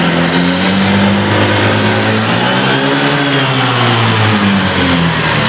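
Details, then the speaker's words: Honda PCX scooter, fuel pump pressure and spark plugs checked OK: smooth at gentle throttle, but at full throttle the engine drones flat and sags instead of climbing; bogging blamed on a faulty throttle sensor. "sekarang kita buka gasnya pelan-pelan nah ini dia ya naik naik jadi dua dua tiga langsung turun terus turun nah turun lagi nah ini Kenapa karena dia sensornya Tida"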